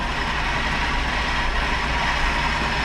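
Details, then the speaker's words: D50 mini truck after years of sitting, first start with new plugs and fresh oil, low on fuel; rough, slightly uneven idle with occasional stumble, a little bit of a miss despite new plugs, idle misfire. "you can tell it's got a little bit of a Miss in it so it's got new plugs"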